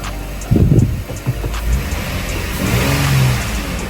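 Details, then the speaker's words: Lexus IS (2IS) start-up after replacing an EVAP hose for code P0456: engine catches cleanly, revs, then settles into a smooth even run without ticks or rattles; sounds fine. "Alright, so start it up. Hopefully it starts up. So it did start up, so that sounds fine."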